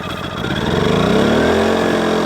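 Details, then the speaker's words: New KINGS 2 kVA generator, first pull on choke, unloaded: catches quickly, climbs in pitch, then settles into a steady, even buzz with no misses; not very loud; normal start and idle. "first go first pull that's freaking unbelievable it's not that loud I don't know if you can hear me talking over top of it but it's really not that loud"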